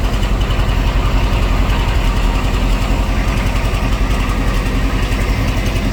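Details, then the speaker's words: C3 Corvette V8 after carburetor tune, idle adjusted (previously flooding and hard to restart): deep, steady, even idle with no stumble or miss; running smooth. "right now it's sounds like it's running pretty good"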